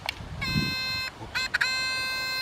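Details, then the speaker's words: GM EVAP purge solenoid on bench for P0496, powered by power probe: sharp click then steady high buzz while energized, cutting out and returning on reconnection; valve actuates but may still leak. "That's the valve working. So the valve is operating."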